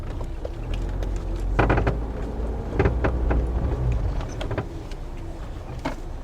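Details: 2009 Toyota Corolla, 190k miles: separate dull clunks about once a second while the steering wheel is turned over a quiet background; owner suspects outer tie rod or ball joint, and later finds the outer tie rod boot cracked and leaking grease, replacing the outer tie rod.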